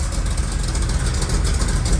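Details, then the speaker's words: Small-block 350 V8 in a truck, running on Tuned Port Injection with a stock '86 Corvette computer and an oversized cam, fueled from a 5-gallon jug via a high-pressure pump and filter. Deep, even idle with a steady beat and no ticking or stumbling: runs really good. "listen to that oh my God he's running really good"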